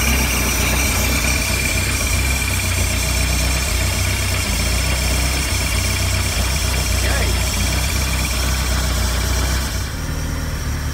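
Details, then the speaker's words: Bayliner 175 sterndrive started after 7+ months in storage: steady low rumble with even beat and water splashing behind; idling smoothly, voltage good, oil pressure coming up. "that's good I like that voltage looks good oil pressure is coming up"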